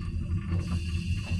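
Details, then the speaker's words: Manual suction pump drawing oil from a sailboat saildrive through the dipstick hole while in the water, after about 10 minutes of pumping: deep wet gurgling about five times a second as it pulls air, sump nearly empty. "so you can probably hear that gurgling sound um i've pumped it for 10 minutes or so now and it sounds like it's basically getting to the end of it"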